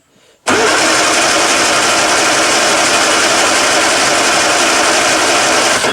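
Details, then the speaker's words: 1962 Austin-Healey Sprite Mk2, 948 cc engine, unrun for over 40 years: about five seconds of steady starter churning with no firing stroke. It cranks but won't start because of fuel starvation from dry carburettors, so the owner plans to add fuel next. "Wow. Okay. This car hasn't run in over 40 years. I don't think the motor's even turned over. So, let's I'm going to add a little bit of fuel."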